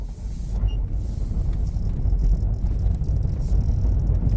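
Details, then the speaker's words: 2012 Toyota Prius V test drive after replacing the worn steering column electric power steering motor coupler/bushing: steady low cabin rumble, no rattles over bumps; steering feels like new. "Oh man, that's perfect. The steering is good to go. No rattles. Feels like brand new."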